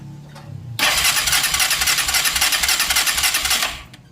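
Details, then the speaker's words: Ecuadorian motocarro (three-wheel cargo motorcycle) with a new ignition coil fitted: steady starter cranking at about four beats a second for three seconds, with no catch. Spark is completely gone. "A ver, ahí está el positivo conectado, están los negativos conectados y prácticamente se fue la chispa. Completamente se fue la chispa."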